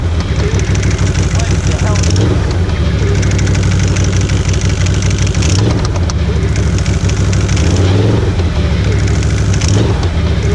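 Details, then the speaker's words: 2016 Can-Am Outlander XMR1000 jacked up in two-wheel drive, in gear; heavy drone with dull bangs on throttle; cracked plastic bracket inside the secondary clutch flexing, fixed by replacing it. "all right this is the sound I've been getting where I've been thinking it was coming from my suspension unfortunately it's not"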